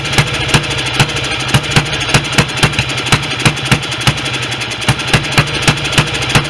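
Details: Restored BSA B31 single with magneto ignition, on thin 30-grade oil and no intake gauze: a slow, unevenly spaced thump of about 2.5 beats a second. The owner suspects the oversized carb jet is making it run rich and plans a smaller one.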